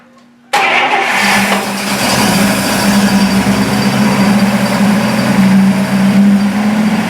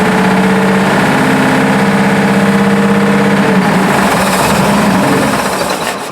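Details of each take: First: Buick after new plug wires, cap, rotor and points, with timing unchecked, starts quickly and settles into a steady, even idle with a smooth hum and no knocks or misses; normal running. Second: Buick idling roughly with a regular tapping knock, about three a second, before it dies, despite 42 psi oil pressure; owner first suspected lifter or rod knock, but the valve cover is striking a rocker arm.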